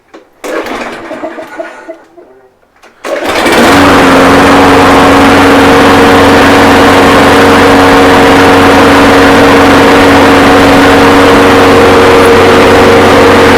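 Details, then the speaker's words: Toro Recycler mower's Briggs & Stratton engine, freshly cleaned with oil looking fine and the water removed, likely low hours. It starts with a pull and settles into a steady, even drone with no hunting or misfire; the smoke is steam. "I'm not gonna lie sounds pretty nice pretty nice little and very good actually that smoke you're seeing is actually Steam but it's running it's really good"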